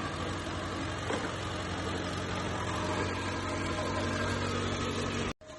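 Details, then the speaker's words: Mitsubishi Lancer that cranks but won't start normally, run via direct start bypassing faulty starter relay: steady, even engine hum with no knocks or misses until shut off abruptly; normal idle. "As you can see, the engine starts with direct start."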